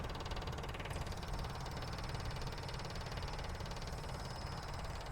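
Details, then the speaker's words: Truck with Weber carburettor and mechanical fuel pump, added electric priming pump, key on and engine off: fast, even buzzing hum as the pump pressurizes the gauge in about 6 seconds; normal electric fuel pump priming. "so once I give the ground here you're going to see that the pump's going to activate and then you're going to see here that it's going to pressurize this gauge showing that it's filming the bolt"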